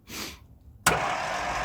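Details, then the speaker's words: 1958 Mack B-21 fire truck, 1091 ci Hall-Scott gasoline straight six, sitting 30 years: a click, then a free high whir with no cranking beat; the starter spins but doesn't engage the flywheel. "it's not spinning that's just it didn't engage [Applause] starters on [Applause] okay [Applause] interesting starter's not engaging bump it a couple more times"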